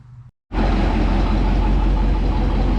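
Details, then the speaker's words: Ford Police Interceptor 312 V8 with twin four-barrel Holley carburetors (bowls on top), recorded from the rear: after a brief gap a deep, even burble settles at a steady idle with no misses or ticking. It is running sweetly. "Probably a little noisy back here, so you can hear how sweet she runs."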